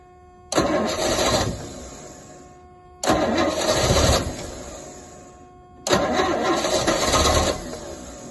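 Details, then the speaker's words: Rolls-Royce Silver Shadow, freezing cold, rebuilt fuel pump, in park: three one-second cranks, engine spins but never fires. Cranks but won't start; owner suspects the original plugs, otherwise the carburetors. "it was my fault being premature really I I never changed the plugs so let's swap the plugs out and we'll see if it's any better if not it will be carb job I expect"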